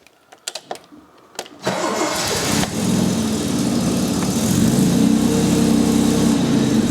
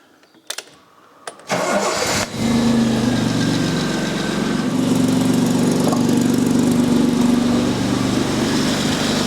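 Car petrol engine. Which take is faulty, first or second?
second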